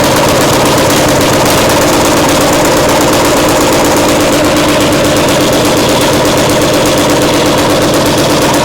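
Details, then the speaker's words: Caterpillar Diesel 70's small petrol pony (starting) motor after restoration: fast, choppy popping of about 170 a minute with uneven spacing; firing intermittently, with timing suspected to be a tick behind. "To the untrained ear, it sounds like success. But to two cold iron cardiac surgeons, something's off. The rhythm isn't right. The timing's just a tick behind."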